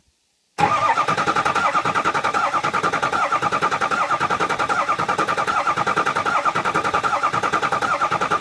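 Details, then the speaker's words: 6.0 Powerstroke diesel after EGR cooler and Ford oil cooler install, cranking to prime: steady starter cranking with fast even chatter and thin ringing tone, no firing yet, because there is no oil pressure; the noise fades as pressure builds. "And also, as I'm cranking, listen. You hear a inside. And that's cuz it doesn't have oil pressure. So, when that goes away, then we're starting to build up oil pressure."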